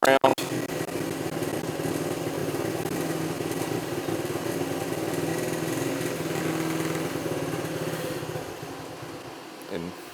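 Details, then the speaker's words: 1973 Honda CT90 on its aftermarket carburettor, before the swap to a rebuilt original carburettor. The idle hunts, surging and sagging, then fades toward a stall; it won't idle without throttle and is sluggish on takeoff. The carburettor is suspected. "Because that's the biggest problem I've had with this aftermarket one is it really doesn't idle that well, and it's a little bit sluggish on takeoff."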